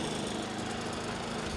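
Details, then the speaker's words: Predator 3500W generator running after fixing the wheel-lock rattle by inserting a plastic piece that pinches the metal lock tight to the wheel: even, quiet hum with no metallic chatter; runs clean. "okay guys we got the predator running and as you can see no more rattling it is quiet see that"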